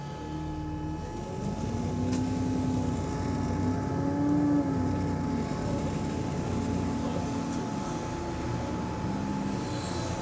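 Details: GAL EN39 bus on route 89: steady high whine inside the cabin over the drive drone, with a lower hum that swells and fades; source unclear, possibly battery, electronics or A/C.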